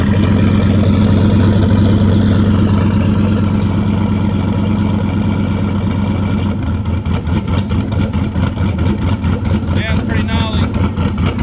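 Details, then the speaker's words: LS1 ute with new cam and upgraded Aeroflow 78/75 Gen 2 turbo and freer-flowing exhaust housing, idling in an echoing shed; loud, even V8 idle with lumpy pulse and raw bark, much louder than before; normal idle. "Definitely a fair bit louder. Probably doesn't help in the shed here echoing, but yeah, plenty more flow, that's for sure."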